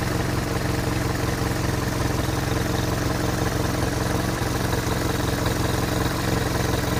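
Steady low idle throb with a busy chattering overlay, roughly three pulses a second; the source of the noise is unclear.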